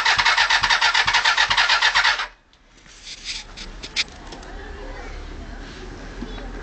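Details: Suzuki Bandit 400 after fitting a replacement starter motor (the old one was broken inside and only clicked). Quick, even cranking for about two seconds, then it stops without catching: a crank but no start. It previously ran poorly on PRI and cut out when ridden on ON.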